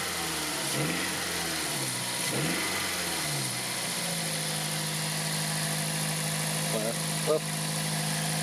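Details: 2003 Toyota Corolla 1.6 VVT-i after tightening a screw (no new intake gasket): a couple of quick revs then a steady, even idle with no rattle; the earlier problem appears fixed.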